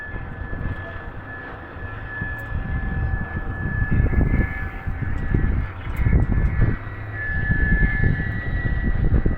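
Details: Kubota tower light diesel cranks with uneven low rumbling bursts but never runs steadily. No-start; findings were a clogged primary fuel filter, loose fuel line hoses and an air lock in the fuel system.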